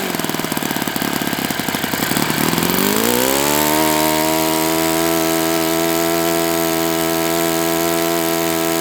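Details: Enya 46-4C model four-stroke on the bench, 11.5 prop, air bleed opened 1/4 turn, throttle stop adjusted; choppy low-speed popping rises to a steady high buzz and holds, runs strong; owner thinks it needs new bearings.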